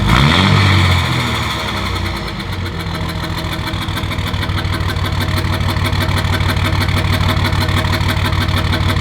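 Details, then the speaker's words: Truck diesel cold-started at about 24°F after sitting a week, smoking from exhaust; steady cold idle with quick even metallic tick, a new noise not there before, source not yet identified; metallic ticking at cold idle. "there's just a funny noise that wasn't there before it's kind of this like metallic ch"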